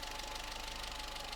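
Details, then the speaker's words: Low-mileage 1984 Austin Mini after Lucas 45D distributor service and SU HS4 carburettor update, timing, idle and mixture not yet adjusted; steady, even idle with light mechanical chatter, smoother, idling and revving better than before. "With everything that's been done to that, it's smoother. It idles better. It revs better."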